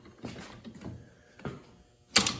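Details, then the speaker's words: Allis Chalmers M transmission top cover after repair, with the detent contact piece made a quarter inch longer. Sharp single clicks as the shift lever drops into its notch, quiet between moves; the detent now engages normally. "this is sitting right in the detent you can hear that click there that's the detent"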